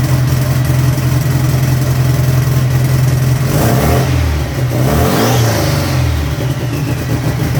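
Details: Turbo air-cooled VW flat-four on the dyno, just after starting: even throaty beat, revs up and down crisply, with a faint rising turbo whistle after each rev.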